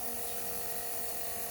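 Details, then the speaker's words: 1991 Kawasaki ZXR750 turbo build: steady high electric whir of the fuel pump, even tone with no surging or catching. Pump works normally at 52 psi and may be loud enough to mask the oil pump. "I can turn the key on and off, but I can't really hear it working. Maybe because the sound of the fuel pump is so noisy."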